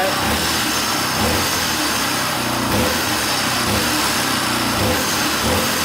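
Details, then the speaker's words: 1982 Honda XL500R single-cylinder, first start in years after a loose spark plug was found to be sparking outside the plug. Steady, even idle with a crisp exhaust beat, no knocks or misses; sounds pretty good, running healthy. "sounds pretty good wow can't believe it started"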